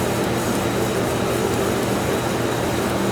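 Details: Abandoned Polaris 400 cc two-stroke ATV, revived after bleeding the oil pump: steady, even buzzing idle with a constant beat and no misses or knocks; normal idle.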